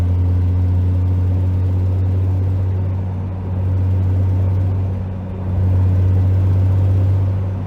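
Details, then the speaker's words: 2JZ with CD009 transmission and Grannas Racing Tilton ST246 clutch, about 600 lb-ft, 2,500 miles: uphill 6th-gear lug floored from 1600 rpm gives deep steady exhaust drone, no clutch shudder or chatter. "We're at 1600, we're gonna go ahead and floor it. I don't hear any chatter."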